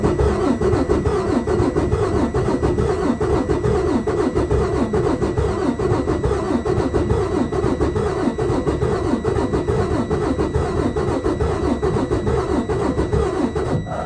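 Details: Detroit Diesel DD15 cranking during a compression test: uneven compression strokes at about seventy beats a minute. Worn or tight valves are suspected; the test read cylinder 1 at zero, 2 at 89, 3 at 100 and 4 at 82.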